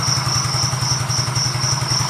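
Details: Yamaha Mio GT FI scooter after engine repair for rough running: even, steady idle beat with no knocking or rattling; worn CVT parts (bosh/roller) still make it slightly rough.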